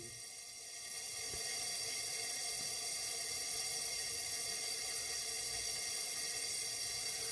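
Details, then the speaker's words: 1981 Honda CB900C, leak-down test on cylinder 2: steady thin high-pitched hiss of air escaping past the piston rings, none from exhaust or carburetor; rings worn, valves OK on this cylinder, gauge reading good. "you can hear, once again, like number 1, you can hear air getting past the rings, but again, there is no air coming out of the exhaust or the carburetor."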